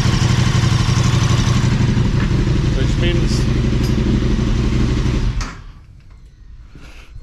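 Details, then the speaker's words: KTM 1290 Super Adventure S at nearly 20,000 km, first start after an oil change to Castrol 10W-50 synthetic with a KTM filter, partly filled: big twin idles with a steady, even beat about five seconds, no ticking, oil light out; healthy. "you'll hear it when it first starts up you'll hear it ticking till oil gets through the engine there we go oil light out now"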